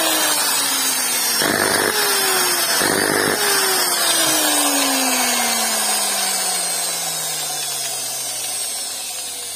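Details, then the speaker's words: Eight-year-old, lightly used angle grinder running with a rough, muffled, crackling motor whine that sags in pitch and an abnormal electrical sound, caused by sparking from loose carbon brushes. "Evet burada da Gördüğünüz üzere burada yani normal dışı bir elektrik akımı ve boğucu yani böyle Eee kötü bir ses geliyor"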